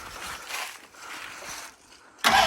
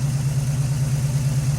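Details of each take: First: 1981 Cutlass with a 403 V8, first start in 2–3 years: cranks, catches and settles into a lumpy idle on fuel poured down the neck, then runs out of fuel. Fuel starvation; the fuel pump is not picking up fuel. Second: 1981 Cutlass with a 403 V8, first start in 2–3 years, idling after the fuel pump problems: deep, even burble with no ticks or stumbles as it warms. Thermostat opening at about 190°, good oil pressure. Normal idle.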